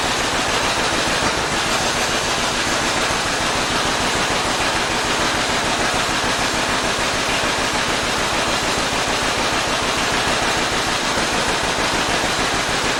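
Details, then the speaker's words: 1947 John Deere B two-cylinder tractor, started after oil, filter and cooling flush: slow lumpy hollow chuffing about three beats a second, running on one cylinder; spark plugs then replaced. "I had a couple people tell me it sounded like it was running on one cylinder which me being I only ever use single cylinder tractors I assume it's normal or it sound normal to me"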